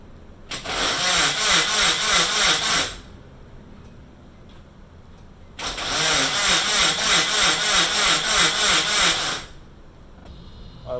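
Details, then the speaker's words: Rebuilt Nissan KA24DET engine on first start attempt, with a missing fuel pump fuse: two cranking bursts of about two and four seconds, even whirring at roughly three beats a second, never catching. Crank, no start, no fuel pump power. "my fuel pump fuse i don't know where the hell it is so [ __ ] let me try to find one of those"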